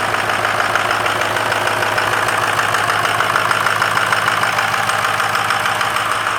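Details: Great White at idle after a new Motorcraft driver-side battery and new positive terminal, on a 50-degree day with a bit of smoke: steady, even idle with a smooth low beat and no knocks or misses, running cleanly.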